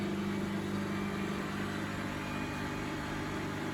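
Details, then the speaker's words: Bosch WFF1800 washing machine draining on an empty 90 cotton wash: steady motor hum with a light fast rattle about four beats a second from the drain pump. "You can hear the pump rattling along with the motor there."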